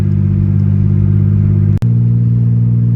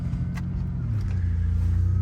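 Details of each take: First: 1988 Ford Ranger, heard in cabin at idle: muffler fell off, exhaust broken apart at the muffler and between the catalytic converters and the exhaust; owner suspects it broke on the road. Loud, deep blatting unmuffled rumble, a raw bark from the leaking pipe. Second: 1988 Ford Ranger after the stainless muffler repair (new bolts; muffler fell off, pipe cracked at the muffler inlet): deep, even exhaust rumble pulling away on a slippery road, no rasp or blowing, much quieter though seems less powerful; still leaking near the catalytic converter.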